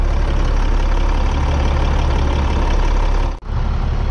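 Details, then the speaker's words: International DT466E dump truck diesel after replacing failed number 2 injector and priming fuel: deep steady idle, even low thrum, no misses or knocks; smoke off turbo from burning oil residue; normal idle. "it sounds like it's running smooth though I don't know like over here there's a lot of smoke coming off the turbo"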